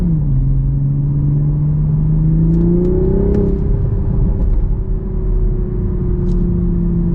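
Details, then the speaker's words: 2023 Toyota GR Supra A90, 3.0L turbo B58 inline-6, 382 hp, rear-drive, ZF 8-speed automatic: smooth rising exhaust note with light burbles through the revs, a quick shift, then a steady pull; normal, healthy sporty exhaust under acceleration. "you can actually hear a little bit of the burbles from the exhaust man Toyota has just my God Toyota and BMW you knocked it out of the park with this model"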